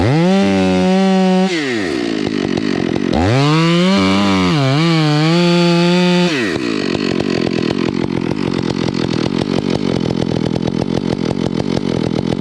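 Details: Stihl MS 461 chainsaw hot-rodded with Westcoast Saws kit (dogs, bark box, Maxflow air filter), carb limiters removed and retuned rich: high unloaded revs with burbly, broken four-stroke rumble, smoothing to a steady chop in the wood; to be leaned slowly.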